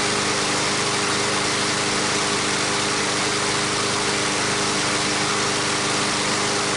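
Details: Brand-new MTD mower's Briggs & Stratton single-cylinder engine after a cold start, stiff valve stem freed (assembly lube): steady, even buzz with no stumbling or coughing; it now runs properly.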